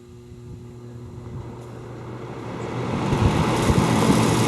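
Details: Vintage antique-store fan with a spliced, poorly done replacement cord and an off/high/medium/low switch: a steady low motor hum under even airflow that builds smoothly with no rattles or scraping; the fan runs cleanly.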